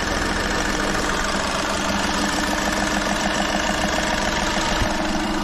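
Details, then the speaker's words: Volkswagen Polo diesel after fuel filter change and injector work: even diesel clatter at a steady idle with no knocks or surges; starts perfectly okay, starting problem and noise resolved. "Hormone बिल्कुल okay start हो रही है"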